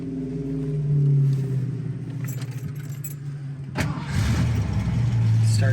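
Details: 1973 Ford Mustang Convertible with a 5-speed manual: big V8 fires and settles into a smooth, steady idle with keys jingling nearby; starts clean with no hesitation.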